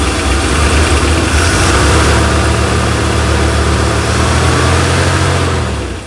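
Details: 1987 Chevrolet C10, just revived after sitting: low steady idle with a light ticking about three or four a second that changes pace at one point; source unknown.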